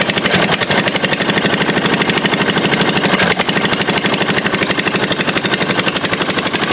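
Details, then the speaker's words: 22 HP twin engine being fitted to a Murray mower: lumpy, hard-pulsing beat with one cylinder not firing though its spark plug sparks strongly; a bent pushrod found under the valve cover. "okay that plug is sparking like crazy which means we have to move on to the valves all right so I got the valve cover off and check this it's like we've bent pushrod"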